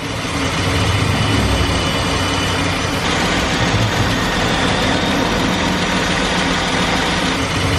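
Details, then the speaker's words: 2015 Dodge Durango with the 3.6L Pentastar V6, under 100,000 miles, after a dealership repair, microphone right next to the engine: smooth, even idle, and the earlier metallic tapping knock is gone. "no more that loud knocking doesn't sound like a diesel motor anymore so really glad I went and got that done"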